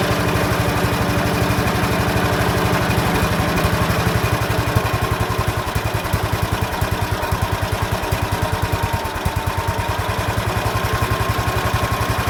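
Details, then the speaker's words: Ransomes MG5 crawler, built around 1949–50, magneto just refitted: old petrol engine thumps along at about 220 beats a minute, slightly uneven and hunting. The idle needs adjusting; cause not pinned down. "There you have it. Need to fix that idle, I think, so."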